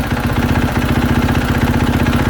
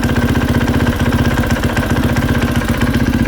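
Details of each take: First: 2020 KTM 450 SX-F after replacing worn clutch dampeners that caused knocking: steady single-cylinder idle, clutch lever pulled and released with no clunks or taps; normal clutch sound. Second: 2020 KTM 450 SXF at idle with the clutch let out: rapid, regular knocking and tapping at about four per second from the clutch area; worn rubber clutch dampeners letting parts hit.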